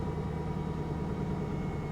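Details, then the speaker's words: Old Pontiac Firebird at a salvage auction, 143,000 miles, just started. Rough, rattly idle with a dull repeating knock under a steady low drone. Source of the knocking is unknown. "Okay, the first couple of seconds was kind of iffy. Something's knocking though, right"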